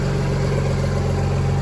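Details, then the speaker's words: Audi B5 S4 / C5 A6 2.7T on Link plug-and-play ECU, after swapping pins 103 and 94 (cylinders 3 and 4) back to normal locations to cure misfire: smooth, steady low idle, even beat, no stumble; idling perfect, purring. "So, and when I swapped them back, I mean, she's idling perfect."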